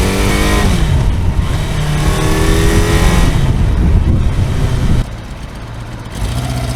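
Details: Kawasaki four-cylinder motorcycle after top-end work, not firing on all four: revs climb and fall with a lumpy, uneven exhaust beat; owner suspects ignition leads disturbed when coils were removed.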